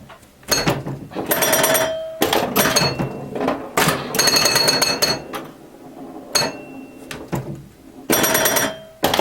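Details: Restored 1977 Williams Hot Tip, Williams' first solid-state pinball: bursts of bright bell chimes, sharp solenoid clacks and rapid score clicking; owner noted some chime notes sounding a little out of tune; normal pinball gameplay.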